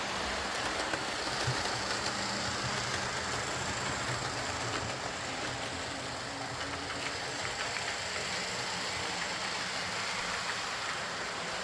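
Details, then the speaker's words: Old Lima Class 40 model locomotive in BR green with a complete replacement motorised chassis: steady, even whirr with light wheel and rail clatter, pulls away slowly, no surging, stalling or pickup issues, low current draw; smooth, quiet running. "It pulls away nice and slowly, it's quiet, it runs smoothly, there's no pickup issues, and it's got a pretty low current draw, so you know, what more do you want?"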